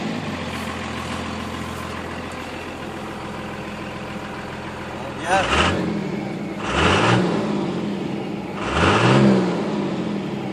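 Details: Cummins diesel truck idling with a low, uneven rumble, then revved in three quick bursts; one cylinder misfires from a cracked injector tip on one injector.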